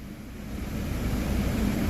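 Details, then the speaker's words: Audi A5 after replacing the blower fan control module, engine running: low steady rush of air building smoothly over two seconds with no ticking or squeal; the blower fan now works again. "Hallelujah all right so basically you know go through all the speeds confirm that everything Works seems like seems like we're back in business"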